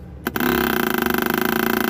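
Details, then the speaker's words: Newly replaced electric fuel pump feeding a carburetor; after a click, a fast, even buzzing pulse of about twenty beats a second. It runs loudly while the carburetor is empty, then stops or slows with pauses once full. Normal fuel pump operation. "ketika sudah penuh di karburator maka dia akan berhenti ataupun kadang bunyinya pelan ada jedanya"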